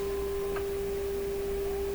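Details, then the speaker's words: Canadian PYE Model 762 tube receiver during tube testing and IF alignment with signal generator: pure steady whistle at fixed mid pitch over faint hiss; heterodyne beat note from two close frequencies in the mixer, source unclear, judged not concerning. "So there's a heterodyne in there too. Now that You have to have 2 frequencies in the mixer. Two close frequencies."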